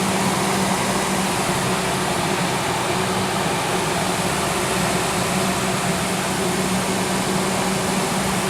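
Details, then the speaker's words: Ford Triton 4.6 V8 SUV idling steadily with a smooth low hum and no knocks or misses; it sounds healthy despite rough condition and a lit brake/ABS warning. "Actually sounds pretty good. Sounds real good."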